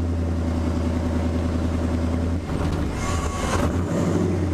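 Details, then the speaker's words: Chevrolet C10 pickup limping home on the road: a steady low engine drone that misfires, bogs and cuts in and out, then picks back up; a failing fuel pump is starving it, and it later died in the driveway. "It's misfiring and bogging right now, but we're in the neighborhood. So it's cutting in and out, but it's making it."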